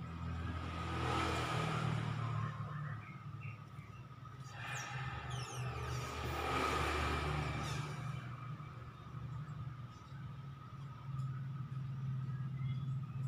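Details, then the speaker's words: Honda Vario 125 CVT, cover off, run up twice with pulley unloaded; coarse gravelly rumble swelling with revs, 'krek krek' noise. Suspected worn pulley bearing; fairly new bike, noise began after air filter change. "Ayo kita buka dulu kulitnya nih kayaknya laher pully nya nih yang kena"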